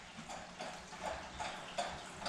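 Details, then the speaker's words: Saltwater fish tank heard in the morning; soft irregular clicks about every third of a second over quiet room noise, owner suspects one of the filters needs cleaning. "That's actually the fish tank, and it sounds like one of the filters needs to be cleaned."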